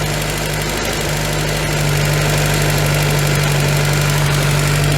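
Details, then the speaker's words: VW Scirocco MK2 with a Pierburg 2E2 carburettor, whose waxstat fast idle speed is too high: a steady four-cylinder idle that eases slightly as the Allen screw is backed off, settling near 1100 rpm with some heat in. "so we're now on the wax stat that speeds too quick so let's bring that down this is our Allen screw we said"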